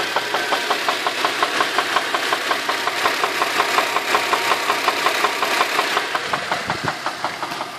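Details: Infiniti FX35 engine warmed up at idle; sharp regular ticking knock close to three per second; internal engine knock, cause unknown.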